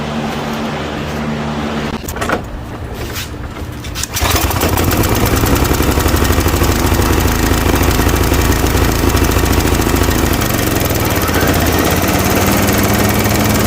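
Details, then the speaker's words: Toro Timemaster mower after blade spindle, shaft, spacer and bearing replacement: fires after a couple of pulls and settles into an even, steady drone with no knocking or grinding from the spindle; smoke from spilled oil burning off. "Alright, so I call that a win."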